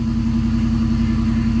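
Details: LS V8-swapped BMW idling steadily with an even low rumble, no knocks or misses, just after fitting used fuel injectors with an adapter harness; strong fuel smell; AFRs still bounce slightly but far less than with the old injectors.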